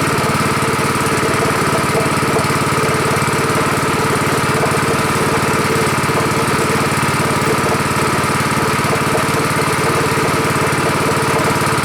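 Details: Rebuilt Honda 5.5 HP single-cylinder engine running outdoors after rebuild: low even tick-over with steady unbroken note, idling lower than the other engine; normal idle.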